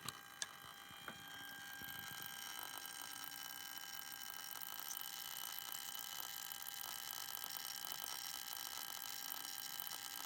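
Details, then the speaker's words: DC/DC converter (108 V to 12 V, 400 Hz switch-mode) from a 1988 Soleq Evcort electric car on the bench under light load: faint high-pitched buzzing rattle with sharp ticks coming from the filter choke on the low-voltage side. "definitely coming from this choke filter choke on the low voltage side of the supply"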